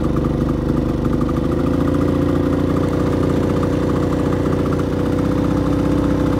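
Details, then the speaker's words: Brand-new Generac iQ3500 inverter generator, about two hours old, dead on arrival producing no power; owner says it runs really rich and not properly. Constant loud drone with an uneven, lumpy beat that never settles: rough running, cause unconfirmed. "see it's not producing any balls but you'd expect there because it's not running properly"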